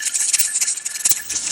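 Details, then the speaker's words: Pressure canner processing jars of chili: steady hiss with fast, slightly uneven jiggling of the weight, now rattling consistently so the 10-minute timer starts; canner holding set pressure, normal weight rocking. "you'll see now that it's kind of rattling consistently so right now is when i'm going to set my clock timer for 10 minutes"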